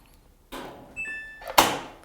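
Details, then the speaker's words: Samsung AddWash WW90K6414QW washer on cotton program at 60°, stopped from the control panel: a short electronic tone, then one loud sharp clack as the door unlocks normally, allowing the AddWash hatch to open. "entend le gros claque qui signifie que la porte a été déverrouillée et à partir de là on peut effectivement ouvrir sa trape de wash"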